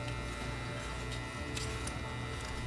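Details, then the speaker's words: Bose Wave Music System 3-disc CD changer showing disc error, getting 17.5 volts but unresponsive: steady low hum with faint clicks, no motor or drive noise; mechanism badly jammed. "So that's all it's doing. It's just jammed. Mm-hmm. Okay, the mechanism appears to be really badly jammed up. And it keeps jamming."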